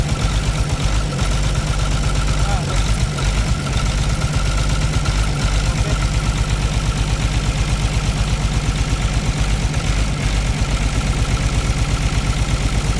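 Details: Caterpillar C13 diesel idling with the valve cover off during an injector cut-out test for a damaged or non-working injector. Steady low thud near two beats a second, uneven and missing now and then; heavy smoke. Misfire cause suspected, not confirmed.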